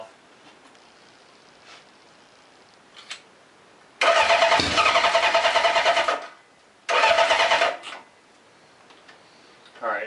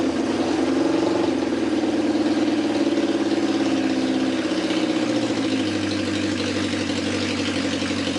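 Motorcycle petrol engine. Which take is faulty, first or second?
first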